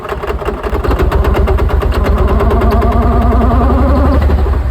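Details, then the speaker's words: 2002 Mercedes-Benz C32 AMG supercharged engine making no boost: rough uneven knock about three per second over low drone, owner also reports a high-pitched bearing sound; knock from supercharger suspected, cause unconfirmed. "Creating no boost at all. It's creating some sort of raw knock sound."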